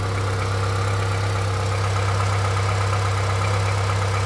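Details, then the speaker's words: Honda CR-V 3, 2.4 engine, warm, running with drive belt removed: light, fairly regular tapping over the idle hum persists, so not from belt-driven accessories; internal engine knock, source unknown. "остался Единственное что мотор тёплый я недавно приехал как бы он стучал ещё сильнее То есть это дело не в приводных агрегатах Это в самом двигателе где-то постукивает всё прекрасно слышно"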